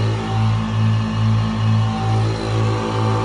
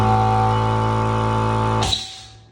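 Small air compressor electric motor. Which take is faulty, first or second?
second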